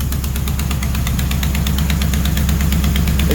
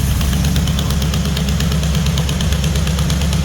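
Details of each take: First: Mopar 400 big block for a 1964 Dodge Polara 500, run on a stand after first fire-up with a new mini starter. A sharp, steady tick rides the lumpy idle in time with the firing pulses. It is a header leak, because a stud sits in the header tube and the flange can't seal fully. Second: Freshly built Mopar 400 big-block with 4-speed, destined for a 1964 Dodge Polara 500: deep, even burble at a steady lope of about three pulses a second, no knocks or misses; healthy idle, slight header leak.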